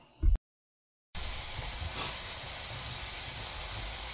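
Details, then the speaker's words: Pressure canner processing beef pot roast, venting steam about 10 minutes before the pressure regulator goes on: strong, even hiss without pulsing; normal steady vent. "right it's been venting for about 10 minutes which is the necessary amount of time for the instructions"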